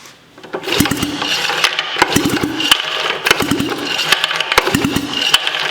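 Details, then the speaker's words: Sachs Wankel KM24 rotary engine from a 1974 Arctic Cat Lynx. With fuel and starter fluid it cranks in uneven bursts with sharp clicks but never fires. Low compression is suspected, and pitting with compression leakage was later found. "huh okay well it honestly has seems like it is low compression yeah let's get a compression check"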